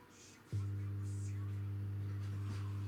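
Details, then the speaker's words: JetBalance JB-471 powered speaker subwoofer with the amplifier chip soldered in: click at switch-on then steady deep 100 Hz hum as before; supply voltage sags, chip and heatsink get very hot even with speaker disconnected, so the chip is likely faulty. "Из динамика также раздаётся гул, как и в начале нашего ремонта. Напряжение питания при включении проседает, а микросхема и радиатор очень сильно нагреваются, даже когда динамик отключен."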